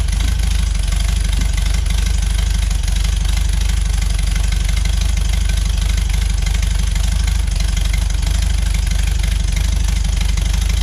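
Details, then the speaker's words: 1973 VW Beetle flat-four, new remanufactured Bosch 034 distributor, warming up on choke, timing about 8 degrees: steady, even low chuff with no knocks or misses; normal idle. "Let it warm up a bit, come off the choke. Right now it's sitting about 8 degrees, so it's good enough to idle anyways."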